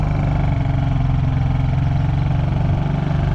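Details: Honda EU3000is inverter generator after carburetor cleaning (previously ran only on choke): smooth, steady low drone with choke off, no surging or stumbling, stable speed; normal running.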